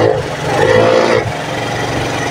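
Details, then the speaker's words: Fuel-injected Suzuki Hayate 125 that won't start and stalls, with no dashboard lights or starter, kick-started: rough, uneven note surging and sagging, misfiring then dying; misfire from weak spark. "Okay yon yan medyo medyo palyado nga lang tapos namamatay an ang problema"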